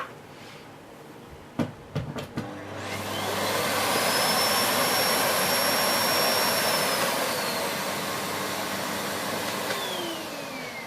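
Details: Siemens Z6.0 Power 2500W cylinder bagged vacuum cleaner with standard combination floorhead: a few handling knocks, then motor whine climbs quickly and holds a smooth, even roar, running normally.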